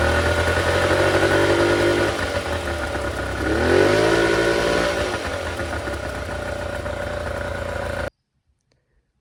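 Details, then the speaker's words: Scout 155 boat outboard after replacing a part to fix a charging issue: catches and settles into a steady, even buzzing idle with a brief blip; charging fixed and idle improved with higher voltage. "it looks like our charging issue is fixed. It also cranked up and seemed to idle better with that higher voltage."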